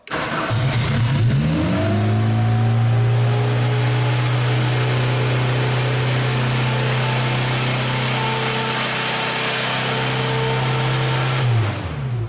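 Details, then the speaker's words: 1999 Genie lift with failed electronic throttle control; throttle body jammed open with a wire per owner's workaround, old throttle body connected: engine fires and jumps to a high, steady drone that never returns to idle — high idle from throttle held open. "Obviously the throttle is jammed open."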